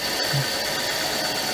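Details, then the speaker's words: Mercedes C32 AMG idling after idler pulley and bearing replacement and an oil change with about seven liters: steady, even idle with a faint thin tone and no loud pulley whine. It sounds roughly normal. "let's see roughly about normal I don't know su any of you guys hear anything different"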